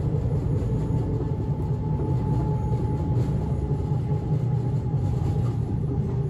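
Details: Inside a 1991 S-Bahn Berlin BR485 railcar 485 112-7 on the S8, Schönfließ–Hohen Neuendorf: heavy low rumble and rattle pounding harder than normal running, caused by a severe wheel flat spot.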